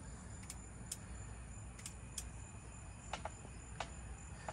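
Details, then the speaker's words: Free used outboard boat motor, untested and with possibly stale fuel, key turned: a few light scattered clicks from the back with no cranking and no smoke; starter clicks but the engine won't turn over. "sounds like it's making a little click back there."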